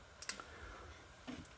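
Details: 1000 W GE high-pressure sodium bulb on a 70 W HPS ballast: a few sharp, sparse ignitor clicks with no steady hum after. The ignitor fires but the lamp fails to strike an arc.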